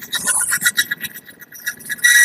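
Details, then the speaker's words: Friction test rig running plain oil without additive under load: shrill squealing bursts near one high pitch, harsher as load increases, already noisy at load one; metal rubbing, before Lupromax engine additive is added. "Nah kita lihat dia bertahan di berapa beban satu sudah berisik"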